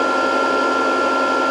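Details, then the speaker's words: Variable frequency drive with long-idle capacitors being slowly reformed, supply near 100–110 volts: cooling fan comes on under voltage, steady whirring hum with constant high tone, no wobble; running evenly. "This should be doing something. Oh, it just the fan came on under voltage."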